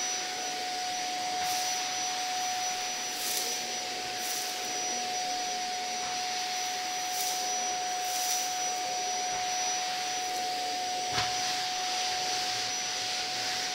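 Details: Zanussi Compact Power cylinder vacuum cleaner in a review, picking up old Weetabix from the floor: a steady, even motor whine at constant pitch with occasional rattles of debris being sucked up, healthy and unstrained. Normal running.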